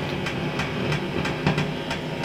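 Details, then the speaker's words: Fender Vibro King amp on the bench, just out of standby: steady sharp ticks about three times a second over the amp's hum, not following any control; the vibrato circuit bleeds a ticking noise into the signal. "don't know if you can hear that tick tick tick tick tick tick tick that's the um vibrato making it ticking noise so we've got that sorted out as well"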